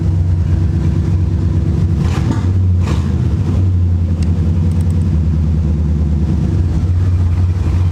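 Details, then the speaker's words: C4 Corvette V8 after fuel pressure regulator replacement: deep low rumble with uneven beat, only a little better; car still shakes in drive and lacks power; still misfiring, owner suspects fuel delivery. "it's a little better but not really yeah I think what are you guys seeing is every time I'm putting drive the car start shaking that means that means it's still missing fire there's no enough power"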